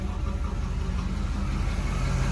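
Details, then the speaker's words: Spreadbore Holley 4175 carburetor after new metering block, diaphragm and housing plus tuning: low steady idle rumble, even pulse, no stumbling, less shaky, vacuum 13–14 inches; normal idle. "evened out a little better, not as shaky. Back and forth between 13 and 14 inches for vacuum."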